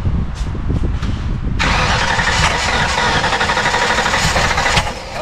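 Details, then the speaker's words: Ford 302 small block V8 with newly fitted AFR 185 heads, carbureted, during timing adjustment: cranks with uneven chugging, rough sputtering bursts but never runs, flames from carburetor; no start because plug wires were in the wrong firing order on the cap. "but all the wires for all the spark plugs were all in the wrong order so that's why it wouldn't fire up that's why we're getting Flames out of the carburetor"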